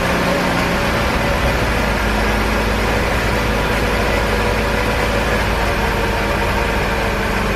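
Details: 1968 BMW 1602 first start after 10+ years sitting, cold on jack stands, choke partly on, debris blowing from exhaust: loud, coarse, lumpy idle with exhaust rasp; rough running, radiator dripping.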